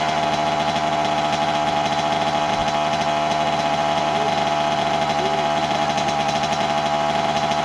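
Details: 1988 Kawasaki KX80 two-stroke, first start in 15 years after being flooded: buzzy, fairly steady but slightly lumpy high idle that runs rich, consistent with a float level set too high.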